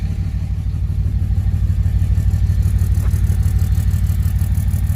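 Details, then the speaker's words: 2006 Dodge 2500 Cummins 5.9 diesel, recorded at tailpipe: steady idle with regular chuffing miss about three per second, door shaking, exhaust smells rich of fuel; owner suspects failed injector, not confirmed. "so it's got a little bit of a miss"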